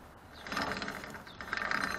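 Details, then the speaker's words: Homemade go-kart chain turned by hand, with some play that won't tighten further, on a torque converter gear changed to a 40-tooth: quick uneven metallic clicks; owner suspects the chain isn't seating properly on the gear. "I don't know if you guys can hear that noise the changes are aligned but I don't know why it clicks like that"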